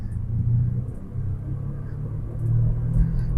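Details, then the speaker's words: 2005 VW Beetle, first drive after sitting since 2019: deep, steady rumbling drone at speed; suspected worn wheel bearing, not confirmed. "oh yeah you can hear that wheel bearing pretty good"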